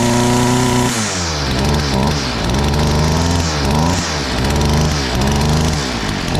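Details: STIHL FS38 two-stroke line trimmer, first start after about two years with fresh fuel: buzz blips up and drops back several times, then settles; runs and returns to idle cleanly.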